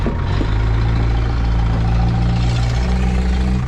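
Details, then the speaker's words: Caterpillar 414E backhoe diesel just started on a jump pack after checking oil and coolant: deep, steady rumble settling into an even idle with no misses or knocks, running healthy. "It runs really good."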